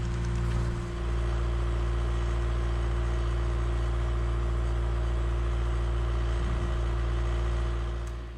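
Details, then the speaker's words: A skid loader idles back from the shop, now running smoothly on all four cylinders instead of three, with a steady low rumble and no misses; normal idle. "hey the skid loader works great I'm super happy with how it's running it sounds so different"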